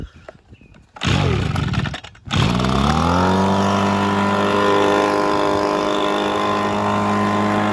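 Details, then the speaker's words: Echo two-stroke leaf blower, previously seized and revived: starts and runs steady at full throttle with a faint tinny rattle, likely a heat shield making contact; no smoke. "It makes a slight rattling sound, but I think that's just one of these um uh heat shields in there that um it's probably making contact around there."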